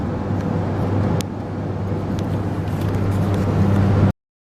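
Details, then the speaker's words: Ford F150 while driving: a steady low drone under the road noise, louder when turning right. The owner identifies it as a noisy bearing. "all right I have a noisy bearing whenever I make a right turn like on a yield lane or whatever"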